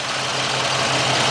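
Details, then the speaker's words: 4.3 L TBI V6 in donor plow truck, about 159–160k miles (owner's guess), exhaust open off the Y-pipe: steady, even low rumble with raspy edge, no knocks or misses; normal idle, loud from open exhaust. "4.3 liter V6. Purring like a kitten."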